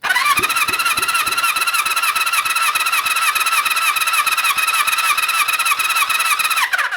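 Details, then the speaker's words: Honda CB350 Four compression test while cranking: starter whine with even pulses about three a second; gauge reads just under 100, taken as roughly 130, acceptable. "topping it just under a hundred which means it's sitting on a roundabout 130 that's alright so we'll just check the others"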